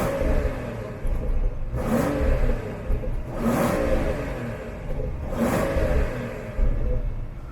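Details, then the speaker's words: BMW 760Li F02 long-wheelbase, N74 twin-turbo V12, exhaust in Sport Plus mode: three quick sharp throttle blips, revving quicker with more pops than in Comfort, sharper on the pedal; healthy engine. "yeah it's popping a bit more i think it seems to rev a bit quicker as well in sport plus doesn't it sharper on the pedal"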